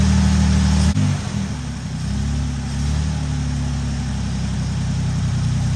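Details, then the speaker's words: Barn-find car sitting 33 years, first start, V6 with 50 lb oil pressure; the fuel pump line leaks and the heater core is bad. Low, steady idle with an even pulse and a small blip, no knocks or ticks; sounds healthy. "Not bad, huh? It does have a 50 lb oil pressure and it sounds good."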